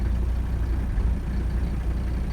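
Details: 1985 Mercedes 300D diesel, daily driven about 300 miles a week, AC on: steady, even low diesel clatter at idle with no misses or knocks; idling smoothly and healthy.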